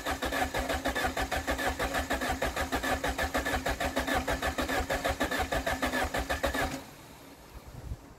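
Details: 1993 Saab 9000 CD, first start after about a year sitting, new battery fitted, exhaust system removed: harsh raw popping idle with sharp evenly spaced pulses, far louder than normal, until shut off.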